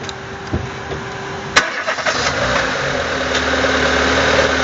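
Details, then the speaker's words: 2000 Renault Laguna 1.6 petrol, which had hard starting, intake backfires and unstable idle, during throttle-body position relearn with engine running: fires after a couple of clunks and settles to a smooth, steady idle. Normal idle. "Ok. Donc là, il reprend une position normale."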